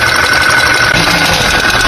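A running petrol engine with a harsh, heavy knocking under a dense clatter, from a broken piston.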